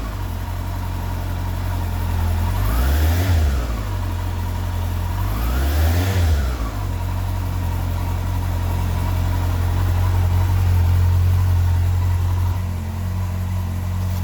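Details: 2002 Yamaha R1 after misfire cure, with a cheap immobiliser identified as the culprit: two quick clean blips from idle rising and falling smoothly without stutter or popping; engine pulls evenly and sounds healthy.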